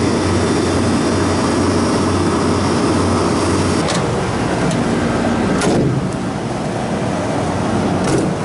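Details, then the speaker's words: Condensing unit running normally after replacing a restricted drier filter and a bad compressor valve plate: return gas 65 at a 45-degree evaporator, evaporator pulling down to 32, compressor cooled; steady fan rush and low compressor hum, no rattles or knocking. "The return gas temperature is 65, and so it's good. It's cooling the compressor off."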